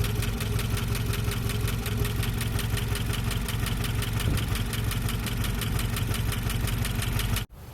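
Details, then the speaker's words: 1988 Jeep Comanche Renix 2.5L I4 after fixing timing issue (broken tension pin replaced with 1/4" x 1" pin): steady four-cylinder idle, even beat, no misses or knocks, a little smoother; earlier slight misfire suspected. "Cool. Well, it runs. That's something. Not bad. Cool. That's a little smoother, eh?"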